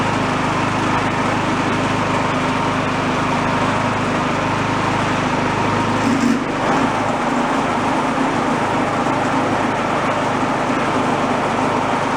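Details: Garage-sale two-stage snowblower on choke, after cleaning debris out of the carburetor a second time: small single-cylinder engine runs at a steady, even speed with no surging or misfire; normal running.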